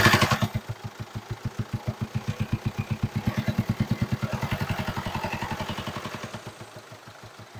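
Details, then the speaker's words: 2019 Mercedes Sprinter diesel, high mileage, idling with intake pipe removed: sharp, even tapping about eight times a second from the top end, louder with intake off. "the sound there's definitely a a bigger sound when the intake pip is off this um indicates like um there could be a potential problem on the top end"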